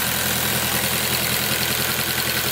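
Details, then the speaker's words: Turbo Honda S2000 on E85 after injector seal replacement and injector cleaner: smooth even idle with light quick sewing-machine ticking, no uneven chatter, turbo sounds good; normal healthy idle. "that's like a little sewing machine get around here turbo sounds good"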